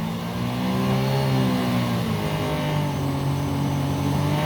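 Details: 2012 Sea-Doo Challenger, supercharged 4-TEC engine, after repair of jet pump cavitation: high steady note near top revs (7,000–8,000 rpm), labouring slightly under load; jet pump gripping water again, no cavitation.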